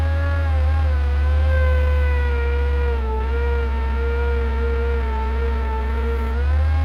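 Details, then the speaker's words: Bucket truck with new oil, no pony motor, hydraulics driven by PTO off the main engine: steady drone under whining pump tone dipping as the boom moves, using lower controls. Normal PTO hydraulic operation. "that noise you're hearing is the PTO this does not have a pony motor on it so the Hydraulics run off the main engine"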